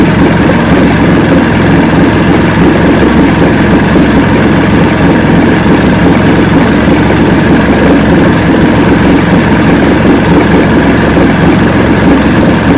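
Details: 1970 85hp Evinrude two-stroke outboard with hydroelectric shift, 50 years old, new water pump impeller, idling in neutral in a water container: smooth steady low drone, no misses, surges or knocks; carburetors judged good at idle, full throttle untested.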